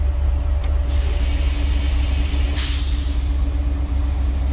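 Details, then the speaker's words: 1961 Dodge C800 ramp truck idling after first move: deep steady rumble with faint constant hum as the air compressor kicks on; normal compressor cycling. "Air compressor kicked on. Running until that air compressor kicks off, so I don't need that where I'm going."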